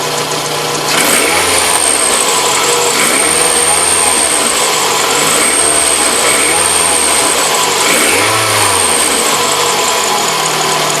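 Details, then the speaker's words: Toyota RAV4 engine after 80,000 km: thin high whistle rising with each throttle blip, dropping at idle, fading after several minutes; owner suspects alternator bearing or water pump, pump dry, not confirmed. "Вот такой звук стал доноситься после 80.000. Не могу понять, то ли подшипник генератором, то ли помпа."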